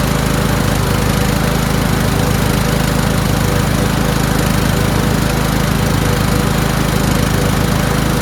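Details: Toro Wheelhorse 1438HXL with repowered 17.5 hp engine, after mower deck belt and pulley replacement, deck engaged: steady even engine drone, no knocking, belt squeal or slipping under load; everything works. Normal running.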